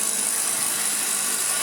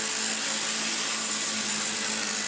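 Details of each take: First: Refurbished Hoover Junior 1334A vacuum, new rear motor bearing: fast light ticking rattle over steady high motor whine from brush roll loose in its mounts; may subside as the end wears in, owner tries wedging card beside it. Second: Hoover Junior 1334A upright vacuum after full rebuild that fixed an awful-sounding motor, new fan and brush strips: steady high airy rush with constant motor hum, no wavering, rattle or grinding; normal running.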